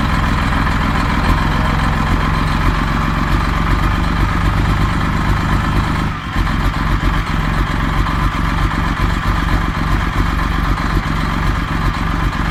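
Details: Detroit Series 60 diesel, new engine with a couple thousand miles, around 50–55°F, just started after long cranking: smoky and stumbling, firing on only 2–3 cylinders, with deep uneven chuffing. An exhaust leak is suspected, and the cause is unconfirmed.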